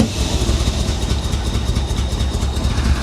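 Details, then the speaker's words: 1985 Chevy Corvette V8 rescued from a Florida swamp, running on its own with a lumpy, uneven low beat, popping and stumbling; misfire suspected to be timing, fuel or crossed plug wires, not confirmed. "there she goes come on I don't know she sounds like she tries so hard to run better you can hear it popping she's running on her own though"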